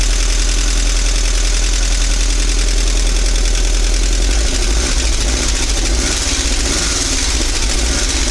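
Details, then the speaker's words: 1985 VW Vanagon Westfalia 1.9 L Wasserboxer at cold idle before engine pull: loud, rough idle with busy light clatter over a low rumble, which the owner suspects is in the heads from little running and not being warm. Engine clatter at cold idle. "this engine has a lot of clatter um most likely in the heads just because it hasn't been uh run very much and uh it's not warm right now"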